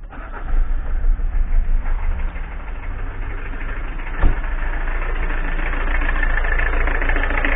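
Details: Citroën ZX diesel estate with XUD engine, after replacing the accessory belt tensioner pulley (belt drives power steering pump, alternator and damper pulley): cranks, catches and settles into an even diesel idle clatter with no squeal or chirp; normal idle.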